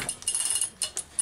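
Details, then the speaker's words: Allen's Super EZ chainsaw, spark plug out, cranking: sharp, irregular snapping clicks of a strong spark jumping the gap. Healthy ignition spark. "has actually got great spark. So that's a great sign. You can hear it popping as much as you can see it."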